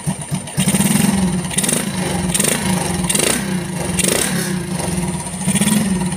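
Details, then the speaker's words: Engine with a newly fitted CPO PE24 carburetor, only the idle and air screws adjusted: it catches after a few cranks and settles into a steady idle with light regular rises in revs. It runs cleanly, and the idle is manually adjustable. "Untuk kalian, idle ini berfungsi dan dapat disesuaikan secara manual oleh kami."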